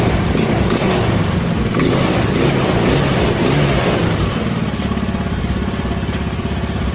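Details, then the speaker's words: Honda Spacy carburettor scooter after idle adjustment and trimming the slide vacuum part, fixing unstable idle and stumbling: small single holds an even, steady idle without stumbling or surging; idle now stable. "ya Oke kita dengarkan gas e udah stabil ya guys ya Oke skep sudahudah mulai bekerja ya bekerja normal sesuai dengan e bukaan yang kita gas ya guys ya"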